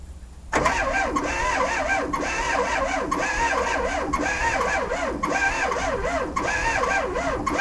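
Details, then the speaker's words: VW-engined Sterling kit car, 12V motor in a 6V transmission with bellhousing clearanced but starter bushing unchanged: laboured cranking rising and falling with compression, never catching; starter drags on windings. "well I think I know what's wrong um somebody's got a 6vt transmission in here you probably machine the bell housing out to fit the 12vt flye but they didn't change the bushing"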